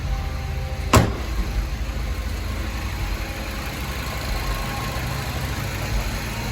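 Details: Mini Cooper S after new water pump, blow off valve and ambient air temperature sensor: steady, even low idle hum with one brief knock near the start and no misses or rattles, clean idle.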